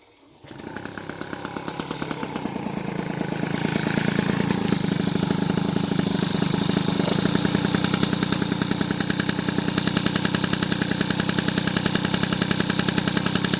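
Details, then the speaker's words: Rebuilt 70cc Transval T3/T5 moped two-stroke engine after botched previous work: catches within a second, revs up, settles to even crisp idle without misfire, burning off oil; variator spinning true, engine saved. "voilà voilà tranquillou comme vous pouvez le voir le variateur tourne rond voilà donc c'est pas de la merde non"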